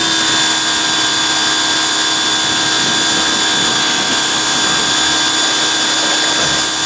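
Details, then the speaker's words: Greenworks 2100 PSI electric pressure washer, new, first use while spraying: steady high whirring hum of constant pitch, no rattles or surging; motor and pump running healthy, quieter than a gas engine. "And I like how the motor shuts off when you're not using it. And it's much quieter than a gas engine."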